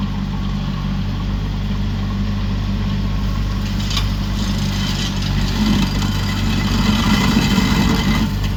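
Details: Used 2018 Woodland Mills WG24 3-point stump grinder on a tractor PTO (run below the rated 540), grinding a hardwood beech stump: steady tractor drone under load, rough chattering cutting noise rising near the end; cutting normally, a couple of teeth possibly dull.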